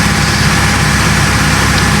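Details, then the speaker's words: Bayliner cabin cruiser MerCruiser inboard started after a few months unused, warming up: low steady rumble with even beat at idle, no misses or knocks; owner notes it stalls unless fully warm; normal idle. "the uh engine's nicely started ticking over nicely get that down to idle and we're warming up"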